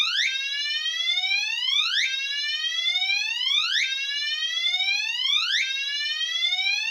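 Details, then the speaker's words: Commander 3 alarm horn on continuous whoop, triggered by pull station during a system test: repeating unconventional rising whoop sweeps, about one every two seconds, clean and steady; sounding normally. "all right so as you can hear not a very conventional tone whatsoever but it is a good one here and I do like it that's part of my favorite things about the commander 3 is that it does have that crazy whoop sound"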